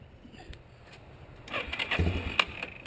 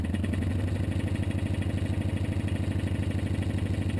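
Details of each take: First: 1987 Yamaha Warrior 350 ATV with intermittent electric start fault: about a second and a half of uneven starter cranking bursts as the engine turns over; other times only the starter solenoid clicks; starter replaced. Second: 1987 Yamaha Warrior 350 ATV just after replacing the starter for an intermittent click-no-crank fault; it starts, then gives even single-cylinder thumping at idle with a few quick throttle blips before shutting off. Runs normally.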